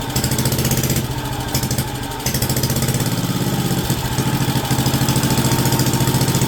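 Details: WWII Wisconsin AB Signal Corps generator, revived after about 70 years unused, almost warmed up with switches on, putting out about 12 volts on the low AC circuit. Even, steady low thump at constant speed, no misses or knocks; normal warm idle.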